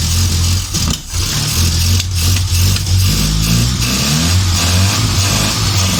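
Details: Morris Minor van petrol engine at its first start after long storage (it ran when parked), jump-started with petrol added by hand: it catches and revs unevenly, wavering and dipping before settling, fuel-starved and rough; no fuel is reaching it from the float bowl.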